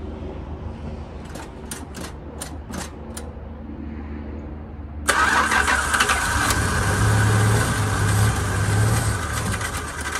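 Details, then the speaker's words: 1980 Chrysler Cordoba LS, known hard starter: a handful of separate clicks, then about five seconds in it cranks and catches into rough idle, starter motor making odd noise, may need replacing; hard starting. "so this car is hard to start uh so give me a minute here and we'll jump in and see if we can get it started"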